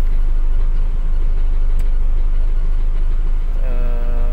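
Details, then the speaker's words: 1990 Daihatsu Charade GL saloon at idle with AC on: smooth even low idle holding steady with compressor engaged, no misses or knocks; engine and AC normal, AC still blowing cold. "masih fungsi semua ini Kondisinya masih normal semua AC juga masih dingin"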